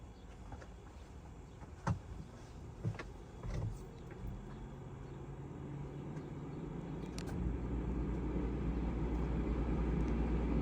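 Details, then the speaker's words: Houghton Belair 2800 rooftop RV air conditioner, 8 months old, run on a 15 amp outside house circuit with nothing else on it, spiking to 17 amps: low even hum builds and settles; running smoothly, blowing cold. "well sounds like it's on right now it sure is it's running pouring cold"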